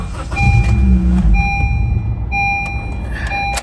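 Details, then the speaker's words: Honda Civic natural gas (CNG), fuel gauge shows fuel: starter cranks steadily under a repeating chime but engine never fires; immobilizer blocking start. "That sounds like an immobilizer. Sounds like a bet. Is this a new key?"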